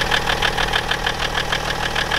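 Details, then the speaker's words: BMW E61 530xd, M57 diesel, about 400,000 km, morning cold start before a timing-chain inspection: uneven, lumpy idle with a sharp clatter pulsing about five times a second; injector trouble suspected. "But I think he has an issue with some of the injectors, because it's running a little bit rough."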